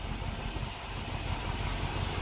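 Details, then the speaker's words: 1976 Dodge D200 after a new fuel pump and starter were fitted: a low, even idle rumble with no misses, knocks or ticking, much better than before; normal idle. "let's see if it starts oh that sounds nice that's much better"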